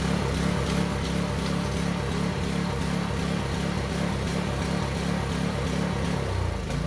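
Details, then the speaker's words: Concrete vibrating needle's small single-cylinder engine after carburetor disassembly and cleaning runs fairly well but with an uneven, loping beat, about three pulses a second, like a big lumpy cam; owner suspects gunk still coming through the fuel line and system. "Okay. Runs pretty good, as if it's got a big lumpy cam in it, but that's not the case. I think it's still a bit of gunk coming through the line, through the system."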